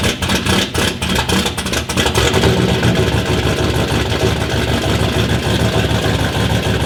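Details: Power Ranger engine, 'V4' version with a whole new top end, first start after a fresh battery, starter and electrical parts: fires unevenly for a couple of seconds, then smooths into a steady idle with no knocks. Normal start and idle.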